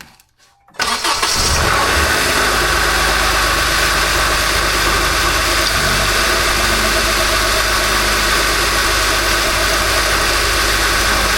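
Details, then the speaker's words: 2013 Honda Accord 2.4L K24 started after replacing the serpentine belt tensioner with a Litens 999828A (belt fairly new, not replaced). Catches at once and settles into a steady, even idle with no squeal or chirp: normal start and idle. "Okay, everything sounds good. Everything looks good. I'm going to call this job a success."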